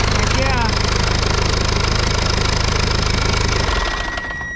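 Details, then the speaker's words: Free diesel engine salvaged from a rolled backhoe, test-run out of the tractor: chugs steadily and evenly with lots of smoke, no knocks or misses, then winds down smoothly to a stop; runs good, normal diesel running. "man check out all the smoke runs good though so anyway"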